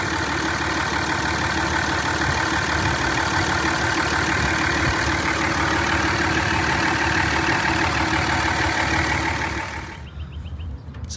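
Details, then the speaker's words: 2003 5.9L Cummins (3rd gen) idling with a steady thin high squeak over diesel clatter; spraying silicone lubricant on the pulleys pinpointed the top engine idler pulley, to be replaced. Bearing cause suspected, not confirmed. "the top pulley on the engine there is the engine idler pulley and that pulley is one that was causing the squeaking noise so it looks like it's time to go ahead and get a new engine idler pulley"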